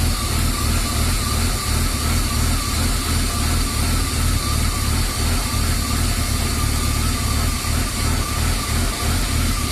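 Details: BMW E36 325i at idle, before repair: steady low idle that hunts and shakes unevenly; rough idle fixed by replacing the lambda (oxygen) probe after MAF and throttle position sensor changes didn't help.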